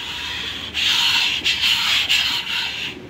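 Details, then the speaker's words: Rebuilt all-aluminium Nissan Sentra MR20DE 2.0 16-valve engine that had water in the cylinders and a bent rod. Crank turned by hand with new rings fitted: dry rasping strokes as the rings scrape the bores, turning heavier but normal. "gira obviamente más pesado porque los Anillos hacen fuerza contra el cilindro Pero bueno gira muy bonito y se escucha como rascan los Anillos"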